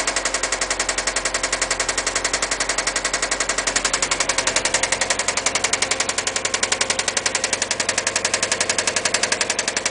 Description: This is what a spun bearing sounds like on an 02 subaru impreza wrx